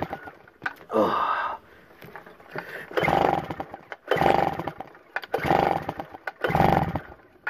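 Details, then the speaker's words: Schneider 950 W generator, unused since March 2017, carburetor cleaned that day and warming up: revs swell and drop about once a second, never settling, yet still producing power; surging cause unknown. "really clean the carburetor right on him today and they still surging up and down and I've got no idea why we still producing power"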